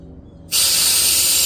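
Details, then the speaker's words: 2010 Audi Q5 3.2 original fuel injector after cleaning, bench-tested with pressurized cleaner: steady sharp hiss holds with no spurts while closed, spraying only when solenoid opened; zero leak-down, injector sealing. "you can hear it but nothing is coming out but then pressure and then I open the Sol not so yeah there is zero leak down I'm happy with those results"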